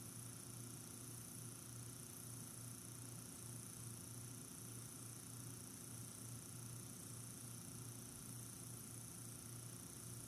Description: There is rattling and also uneven whirring sound.